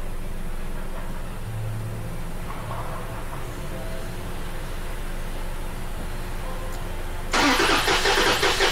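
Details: Engine cranking with EFI main fuse pulled for a compression test, cylinder imbalance code present: starter turns over at an even four pulses a second, no firing and no dragging; about 190 psi read.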